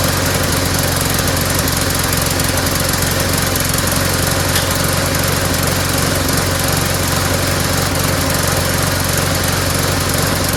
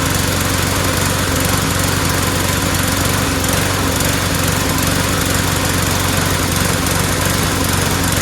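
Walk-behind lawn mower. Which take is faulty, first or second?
second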